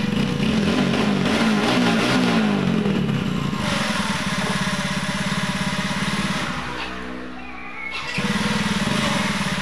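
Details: Yamaha Mio J scooter after replacing the starter motor (dynamo), whose chipped gear had only clicked and cracked the crankcase: engine fires and runs steadily after electric cranking, music in background; normal start.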